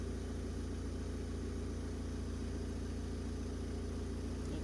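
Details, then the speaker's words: Opel Combo 1.7 diesel with a clean, even idle, low clatter and steady pulse, no stumbles, after a no-start (P0251) was fixed by bleeding the fuel system, fitting a priming bulb, fixing a leak and resoldering the engine-mounted control unit. "третій. Ну, але машина заводиться чітко. Якось так."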